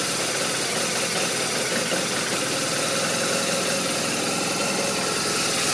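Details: BMW R1200RT boxer twin at idle: busy slightly uneven beat with lots of top-end clatter; rough idle, cause not yet clear.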